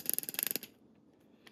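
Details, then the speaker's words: Ratchet comparison (Snap-On vs Pittsburgh Pro), sealed-head ratchet: about a dozen crisp, even clicks in just over half a second; nice solid clicks, solid engagement, sounds good, normal healthy ratchet. "Nice solid clicks here. Sounds good."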